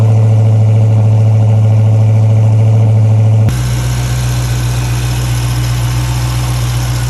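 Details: Dodge Hellcat at idle: deep, steady idle with an even pulse about four times a second and an odd noise present; owner asks what causes it, unidentified.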